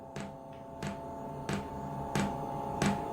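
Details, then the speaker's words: Diesel heater on a test bed, first start: sharp single ticks about every two-thirds of a second in a quiet room, the fuel dosing pump clicking steadily as it primes and fuel is seen being pumped up. "Can you hear that ticking noise? That is the fuel pump, and I can actually see the fuel being pumped up"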